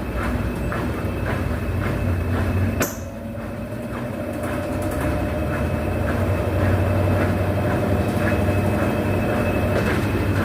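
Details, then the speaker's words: Brastemp BWH15 15 kg washer that spun very loudly (not the bearing), after adding foam between tub and cabinet to stop contact: steady spin hum, soft swish about four times a second, no loud knocking; noise greatly reduced, only normal vibration. "a gente já percebe que já barulho diminuiu muito, né? Ela tem, claro que ela tem um barulho, né, pela própria vibração da máquina, mas aquele barulho alto onde incomodava até já diminuiu muito."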